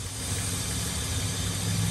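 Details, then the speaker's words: 2002 Ford Explorer at idle, check engine light with lean codes P0171 and P0174 on both banks, running rough; airy hiss over engine note from cracked, deteriorated purge valve line to back of intake, a vacuum leak. "oh you hear that yeah this Line's got a hole in it right here"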